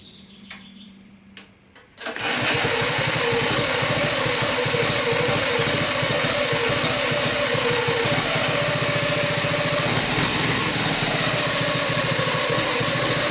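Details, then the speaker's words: Homemade mini motorcycle with a Predator engine driving a dirt bike gearbox, geared up to 22-8; loud, fast metallic chain clatter from the metal idler pulley drowns out engine and muffler, owner plans to enclose the chain. "this thing all you hear is this chain whirling around and this idler pulley just making a ton of racket so you don't even hear the motor running or the muffler all you hear is this chain rolling around really fast"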